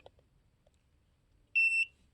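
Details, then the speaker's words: Non-contact voltage detector pen, switched on in a quiet room, gives one sharp high chirp of three quick pulses and lights up when its tip is held near a live wire; used to find the hot blade of an outlet. "and when you put this tip near a live wire it beeps and it lights up"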